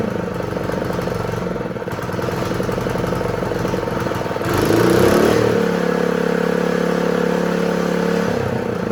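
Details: Honda GX120 small single-cylinder engine on a roofing shingle loader, after reassembly with spark and fuel confirmed, kill switch left unconnected: it catches and settles into a steady, even buzzing run with a clear held tone. Normal running.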